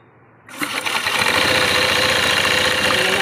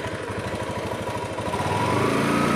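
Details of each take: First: Honda Beat scooter CVT pulley noise: harsh hissy rattle with a quick uneven beat. The pulley rollers are worn with flat edges and the pulley set has almost no grease left, so the rollers need replacing. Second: Honda Beat scooter engine after pulley set and bearing replacement for pulley noise (worn rollers, no grease): steady low putter picking up revs, no grinding or rattle.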